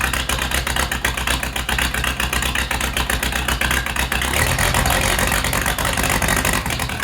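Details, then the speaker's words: Case 207D dozer diesel at first start after an engine rebuild, no coolant in yet, not fully reassembled: loud clattery idle, about four beats a second, slightly uneven; owner thinks fueling is a little off and needs tuning. "sounds like my fuel might be just a little bit off so we'll find tun that"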